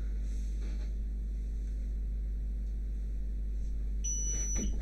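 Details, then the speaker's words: QVIS VIPER-NVR-4BB CCTV network recorder that keeps restarting: quiet fan and hard-drive hum, the drive sounding normal with no screen output, then a short high beep as it reboots itself, confirming the customer's complaint; cause still unknown. "oh that's another beep and that's a restart okay so customer was right"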